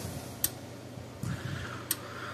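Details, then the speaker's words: Parmak Solar Pak 12 solar fence charger powered by a bench supply at about 13 volts instead of its old batteries: sharp single clicks every ~1.5 s over a quiet hum, gauge in the green; charger pulses normally, needs new batteries. "now I'm going to turn this switch on yep gaug is moving see if it goes a clicking hear"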